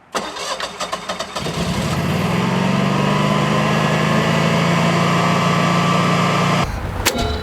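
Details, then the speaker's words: Standby generator auto-starting via the transfer switch, outputting 239–240 V: a few cranking chuffs, then it catches and runs up to a steady, even hum; clean, healthy auto-start. "Oh, there we go. We're now on generator power."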